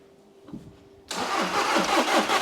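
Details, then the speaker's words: VW Caddy diesel, 490,000 miles, cranking with injector pipes cracked off to check for fuel at the rail: about four even pulses a second, never fires. Crank no start. "it's not getting anything let's have a look we're just cracking off the injector pipes trying to see if we get any fuel spraying out of it"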